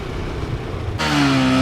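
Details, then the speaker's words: Yamaha R15 V4 after replacing a clogged fuel filter (fuel pump had been blamed), previously stalling every 1–2 km: clean strong rev rising smoothly with no stumbles or cut-outs; normal revving after repair. "अब बिल्कुल smooth bike चल रही है भाई। बिल्कुल भी बंद नहीं हो रही।"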